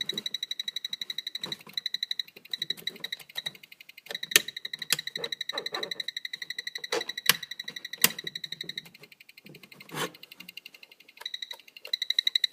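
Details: Radio-control transmitter (DX4e) found in the off position making fast electronic chirps about four per second in uneven bursts. It would not stop, and the batteries were pulled over fire-hazard worry. Cause unknown.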